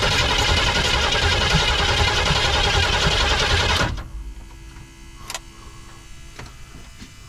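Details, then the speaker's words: 1979 Chevrolet C10 squarebody, 350 V8; rough busy running a few seconds, then abruptly dies. Stalls after starting; they wonder whether carburetor needle and seat is letting fuel in, not confirmed. "wonder the needle and seats even letting fuel go in it right come on man"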